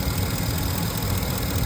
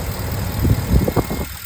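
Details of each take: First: 2015 Ford F-250 (6.4L in title), no fault codes but misfire-like stumble and power loss on hills: light irregular clicking over steady idle from the electronic throttle body, suspected worn internal gears; replaced with a new unit. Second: 2015 Ford F-250 6.4L after the electronic throttle body was replaced: low, even idle, the earlier clicking and vibration gone, clean acceleration; normal idle.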